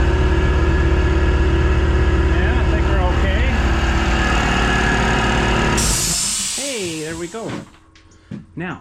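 Steady even motor hum with a smooth pumping pulse for six seconds, then it winds down with a hiss; a healthy compressor filling its tank.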